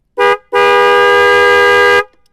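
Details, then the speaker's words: Yamaha Vixion motorcycle with two Denso snail horns newly fitted through a 30 A 12 V relay and fuse: one short toot, then a loud steady blast of about 1.5 s with a clean, rich, train-like tone; both horns work properly. "Oke, kita klakson lagi. Kayak kereta guys suaranya."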